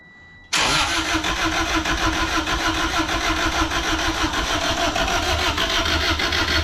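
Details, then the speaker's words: Freshly rebuilt Honda D16Z6 (bad rings, smoking) on first start attempts: starter spins steadily at quick even rhythm but never catches; getting fuel and air but no spark. "It's getting fuel. It's getting spark. It's turning over, but not turning on. Alright, so we figured out that we're not getting any spark."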